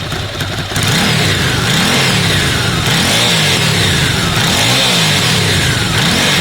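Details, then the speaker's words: Ducati twin (748/749/916/998/999-family) started after timing belt change: revs rise and fall evenly with light metallic ticking on top; normal dry clutch rattle from a healthy engine. "anyone wondering about the particular sound you getting the engine it's the touches on Ducati they make that ticking sound take 250 tttt chicken it's not false it's the clutch"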